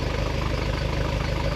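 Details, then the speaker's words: 1976 Corvette Stingray 5.7L V8 bored .060 over, warming up after replacing binding roller rocker arms: even steady idle with smooth exhaust pulses, no irregular clatter; normal mechanical valvetrain noise, rocker arms believed to be the cause. "those rocker arms were the problem we're still not even warmed up yet and I could already tell a difference in the what sounds like normal mechanical valve train noise as opposed to something that's not supposed to be there"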